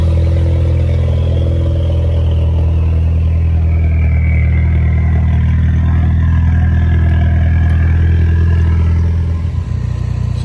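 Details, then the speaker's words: Ford Mustang EcoBoost idling: deep, loud, rumbly idle with a coarse pulse, louder than a sealed system should be, with a fuel-burning smell near the turbo. The owner suspects an exhaust leak around the turbo/downpipe. "can probably hear I'm not sure how great the quality is of the audio but uh a lot it's a lot deeper a lot more rumbly so to speak"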